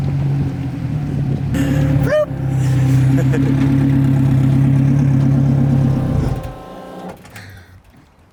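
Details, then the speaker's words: Honda race build with straight-cut transmission gears, warmed up and pulling away: steady engine drone with a clear gear whine riding on top; normal straight-cut gear noise, nothing wrong. "car is so raw. Yeah. Can you hear Did you hear the transmissions? The Yeah. Yeah. Straight cut the gears."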